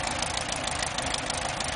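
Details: VW Super Beetle air-cooled flat-four with new spark plugs, wires and distributor, original oil bath air filter, compression 125–140 psi, rebuilt transmission: steady even rumble with busy rattly top end, no misses; healthy normal idle.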